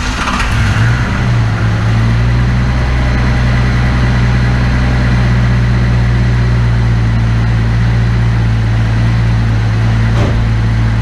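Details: Engine just after fuel injector replacement with OEM-spec injectors: cranked right up, idled high briefly then settled into a smooth, even, healthy idle; no fuel leaks.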